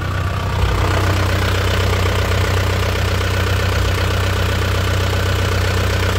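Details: 2001 Isuzu Panther LS manual diesel at idle: a steady, even, crisp clatter with no misses; the engine is dry with no oil seepage and has clean exhaust smoke, so it is judged healthy.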